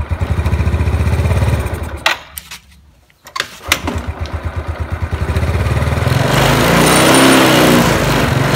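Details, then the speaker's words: Yamaha Mio scooter with vacuum-type carburettor, complaint of hesitating, bogging throttle: engine dies away, then revs freely once the vacuum slide is lifted by hand, confirming a stuck carburettor vacuum slide. "kira-kira Apakah analisa kita benar pada bagian vakum terdapat kendala Coba kita tes dulu Nah di sini saya akan tarik gas dan mengangkat pada bagian vakum"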